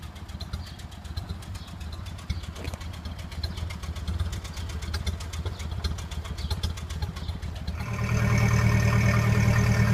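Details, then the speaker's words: 1928 Ford Model A Tudor warmed up after a drive, with a new Aries muffler and exhaust installed: slow, even exhaust pulses about three a second, then a steadier, fuller note; it idles down smoothly, normal idle. "I took it out for a ride. Got it all nice and warmed up. And boy, she's idling down nice now. And you can hear it. Sounds wonderful."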